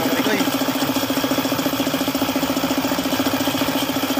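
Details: Suzuki F6A engine with a steady sharp knock at idle, about three or four a second in even rhythm; bottom-end knock because the oil pump stopped working.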